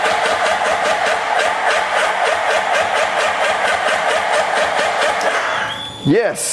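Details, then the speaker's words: Wrecked 2011 Suzuki Hayabusa GSX1300R, long sat outside with corrosion, clutch held: starter whirs steadily for about five seconds but never fires; suspects bad gas in tank, maybe fuel pump; milky oil and pressurized radiator noted. "we got something. We got something. But it's not firing up. It's got some bad gas in the tank."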